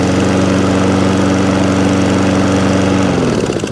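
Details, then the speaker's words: Toro Recycler lawn mower, previously used commercially: it starts on its own without choke and gives a steady, even single-cylinder drone at constant pitch that winds down smoothly at shutdown. Normal running. "So all run, starts, stops, does what it should do. Will it start off its own back now, without any choke? Yeah."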